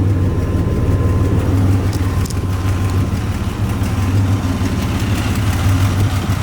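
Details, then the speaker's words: 1987 Buick Grand National turbo, 97,216 miles, idling with A/C on at about 90 degrees, exhaust cutouts closed, Super Turbo mufflers: steady even low rumble, smooth pulse, no misses, knocks or ticks; idles fine. "You can hear it idles fine. Cutouts closed. Super turbo mufflers, try to keep it quiet."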